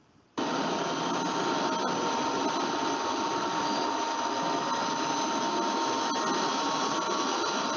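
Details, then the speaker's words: Electric motor after its bearing was replaced: steady even whir, no grinding, rumble or ticking, spectrogram free of red spots; normal running, noise-free. "this one here is that you can see the spectrogram of the first motor after you have been changed bear the bearing so basically you you don't see any kind of red spot and it's noise free"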